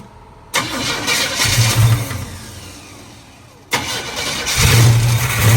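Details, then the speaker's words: Squarebody Chevy carbureted engine on gasoline poured into the carb: it catches, runs a couple of seconds, sags and dies, then refires. Fuel starvation; the mechanical fuel pump isn't pumping and the filter drained back, so the pump is judged bad. "Yeah, fuel pump ain't pumping. So we'll have to throw a fuel pump on it."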